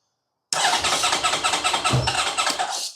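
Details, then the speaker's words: 2010 Honda VFR1200F that misfires and won't idle: steady rapid starter cranking for about two and a half seconds with no firing while checking the oil pressure sensor reading; cranks but won't start. "All right, went to minus It doesn't want to fire at all now, but it does seem to be building up by increasing oil pressure. Yeah, I'm going to burn the starter motor out if I'm not careful."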